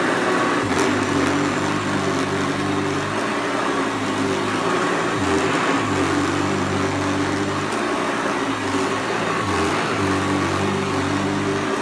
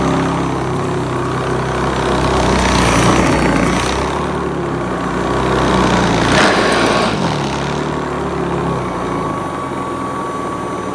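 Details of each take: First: Newly unboxed Hoover Commercial C1310 vacuum running on floor: steady motor hum with a low drone that keeps sagging and picking back up; brushroll drive belt worn and needs replacing. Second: Hoover Commercial C1310 upright vacuum after a third, slightly smaller, tighter belt was fitted; steady even motor drone, no belt squeal or slipping flutter, during an agitation test on rice and sawdust; brushroll drive running normally.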